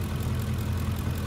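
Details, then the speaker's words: 2006 Ford F-150 5.4L 3V Triton, almost 300,000 miles, right after the soft, crumbling vacuum line causing the P2195/P2197 lean codes is fixed. Steady, even low idle with no hiss, just a smooth rumble; it runs much better as the fuel trims readjust. "engine runs a million times better already and it will slowly uh adjust the fuel trims are run"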